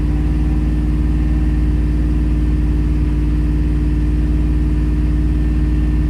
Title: Truck misfiring 2001 5.3 LS